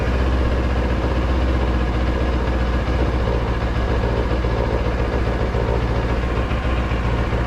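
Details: Motorcycle idling in neutral, steady loping V-twin beat with fast buzzing chatter: loose TFT dash cowl bracket, held by two screws, vibrating against its mount; noise returned despite earlier fix with a screw.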